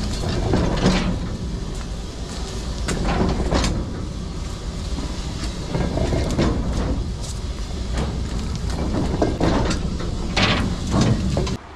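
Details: Freight railway wagon wheelset with a wheel flat (slid flat turning into built-up metal) on the tread: heavy repeating thumps under the rolling rumble, roughly four a second.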